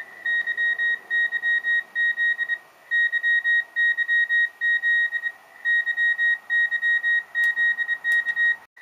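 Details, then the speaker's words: Rockmite51 clone 40 m CW transceiver, memory message sent after pressing SW5 to raise keying speed: clean, steady high beep in quick, even Morse characters; normal CW keying at faster speed. "Now, I'm going to press this button right here, SW5, a few times to make it faster. Transmit the code. I'm going to stop it. Now I'm going to make it a little bit more faster."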